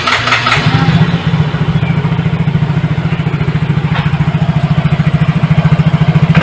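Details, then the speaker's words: Yamaha Mio J scooter after replacing the failed fuel pump IC: engine catches and settles into a steady, even idle with no misses or knocks; runs smoothly. "alhamdulillah aman dan lancar demikian semoga bermanfaat cara pengecekan IC pulpen"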